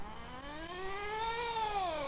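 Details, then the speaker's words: HPI Firestorm nitro RC truck, warmed up after tuning, new clutch shoes; high buzzing engine note climbs then sags and drops in pitch under load, engine bogging and stalling, still needs carburettor tuning. "now it's warmed up so that's just quarter throttle nice well I'll get on the way back and you'll hear it bog down a"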